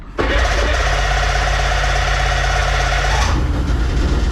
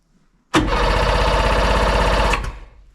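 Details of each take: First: Bombardier Sea-Doo Sportster 1800 jet boat, twin Rotax 717 two-stroke engines, on land after sitting 18+ months in a barn (compression about 140–150 psi): brief cranking, then catches and runs loud and steady with a crisp two-stroke buzz; both engines running normally. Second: Sea-Doo Sportster 1800 jet boat, twin Rotax 717 two-stroke engines, stored 18+ months in a barn, fuel gauge at zero: even starter churn about four beats a second, never firing; cranks but won't start, owner suspects no fuel.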